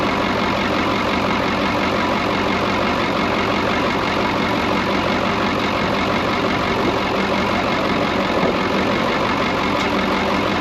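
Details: Brockway 358 truck with Cummins 555 diesel idling after valve adjustment, loose injectors adjusted and intake valves tightened: steady even idle, crisp regular beat, no knocks or misses; sounds much better than before.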